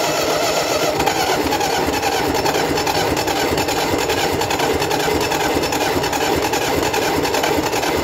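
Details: Gardner 4LW diesel after repair of a cracked head and priming of the fuel system, running: a slow, steady thump of a few beats a second under a rough clattery background; it runs evenly and sounds healthy.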